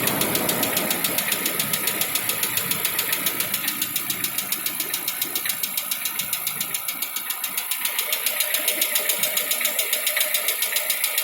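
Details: 2016 Lada Vesta 1.6, cold idle: fast, steady light ticking about 3.5 per second that goes away once warm; owner attributes it to hydraulic lifters and piston slap, reduced by switching to Zic X9 5W-40 oil. Cold-start engine ticking knock.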